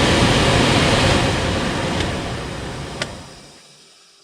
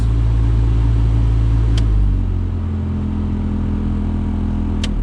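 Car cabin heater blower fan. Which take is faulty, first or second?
second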